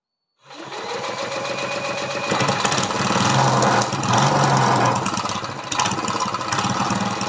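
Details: Briggs & Stratton vertical lawnmower engine converted to horizontal with an oil splasher, once with no compression, valves lapped and adjusted to 60 psi, first run: rapid, uneven chatter and hunting speed from low compression; leaks oil.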